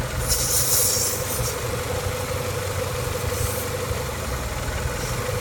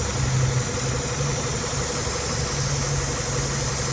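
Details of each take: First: After fixing a vacuum leak found by pinching hoses, which had caused a hissing noise and P0171 lean code: an even, steady idle with a smooth low rumble and no hiss left, the engine running normally. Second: Idling petrol engine with check engine light showing lean: steady airy hiss from a vacuum leak, found by pinching off hoses; hiss goes away when the leaking vacuum line connection is pinched.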